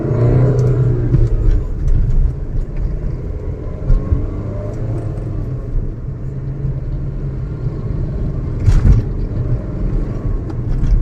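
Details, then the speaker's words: Maruti Suzuki Ciaz road test near 80 km/h after wheel bearing repair, previously a helicopter-like roar: only engine note rising and falling with throttle, no hum or growl from the wheels; bearing now quiet. "यह अभी जो गाड़ी चल रही है इसमें only for engine का ही sound है जैसा हम एक्सलेटर दे रहे हैं वैसे ही ये रिस्पांस कर रही है कोई भी अनावश्यक आवाज इसमें आ रही है"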